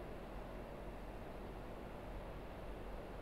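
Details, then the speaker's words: Car audio amplifier (STV 4000) with gain turned up into clipping, over 100 volts output: a steady, rough low buzz drones without a break; buzz shows overdriving, correct setting is around 79 volts. "so right there it's just starting to buzz there you can hear it buzzing real good buzz"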